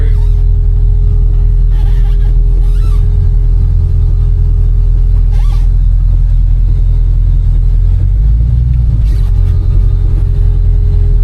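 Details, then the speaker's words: 1986 Chevy C10 pickup, LS-swapped with a 5.3 V8, on a test drive: a deep, even rumble pulling smoothly under load with no knocks, misses or ticks, with plenty of power for the light-rear truck; healthy running. "Like I said, I already driven this truck. That 53 definitely sounds good."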